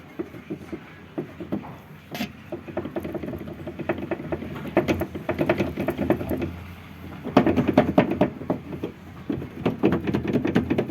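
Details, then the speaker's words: Renault Logan rear: irregular light clunks and taps in loose bursts, a few a second; loose parking brake cable knocking. "итак ребята еще один неприятный стук задней части автомобиля рено логан"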